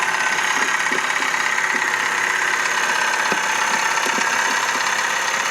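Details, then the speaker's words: Vauxhall Corsa bought cheaply with many faults: steady idle with a light, fairly even tick about three times a second from the top end; noise persists, owner guesses timing chain, unconfirmed; spark plugs, found oily, were later replaced. "still the same so I guessing it's the timing chain cuz the noise is coming from there but hopefully not"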